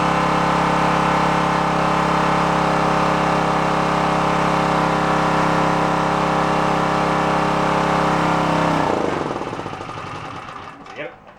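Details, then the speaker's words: Onan K450 portable generator, yard-sale unit that sat a long time, warming after choke start while air-fuel mixture at the back is set: steady even drone for several seconds, then dying away. "seems I ran playing with the air fuel mix on the back is what's going on right now"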